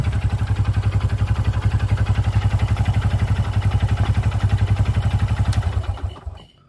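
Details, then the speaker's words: Honda Supra X 125 motorcycle with rough engine noise: steady heavy knock at idle from the middle of the engine, a sign of a worn connecting rod, then shut off. "ya suaranya ada di sebelah sini nih ada di sebelah tengah [Musik] mesin dan ini salah satu ciri-ciri stang piston yang sudah kena"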